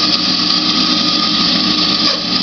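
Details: New Grizzly G0513X2B band saw: runs with a steady harsh high whine and rough buzz, a strange noise, and the motor gets very hot to the touch while the cover stays cool.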